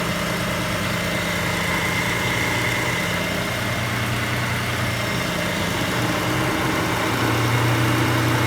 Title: engine ticking noise